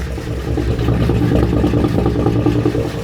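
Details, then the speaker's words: Roughly 70-year-old barn-find engine on its first cold start with 50 psi oil pressure. Rough idle with a fast, typewriter-like clatter from dry rocker arms/valvetrain that haven't oiled up yet. "It sounds dry. All right, we got 50 lbs of oil pressure, but I hear the rockers up here super dry."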